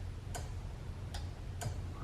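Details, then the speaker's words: Salvage Corvette, horn disconnected and battery reconnected: pressing the horn button gives three crisp horn-relay clicks over a low hum, relay working normally; yet with horn connected it blares constantly. "you see what happens when I press the horn in the relay is clicking this is when I start to get a little bit crazy because things seem to be working as they should when I hit the horn the relay clicks"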